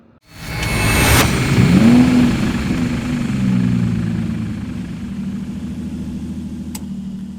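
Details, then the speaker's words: Craftsman LT 2000 riding mower, 19.5HP Briggs & Stratton 31P677 500cc single, before head gasket replacement: cranks, catches and runs with an uneven, faltering, sputtering beat; white smoke, oil dripping, low compression; blown head gasket. "When I start this, it has white smoke blowing out, it's dripping oil pretty bad, it's got low compression, and it sputters."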